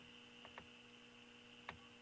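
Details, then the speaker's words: Stromberg Carlson Model 340-F console tube radio, tuned to a local station but no signal with oscillator working: steady low hum with thin high tone over static and dead air; hum likely induced by scope probe, LED lights or power lines. "i'll have nothing but that crazy static and dead air you can hear the dead air and hum now the hummus from the probe most likely"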